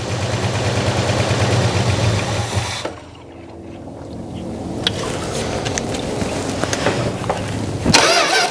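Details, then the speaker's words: 1971 Plymouth Road Runner 340 V8 fired on fuel poured in; catches and settles to an even steady idle, no ticking from the valvetrain; carburetor still needs a rebuild and its diaphragm is not working. "All right, I'm just sitting here jacking around, but it sounds good. I mean, it sounds no I didn't hear no ticking."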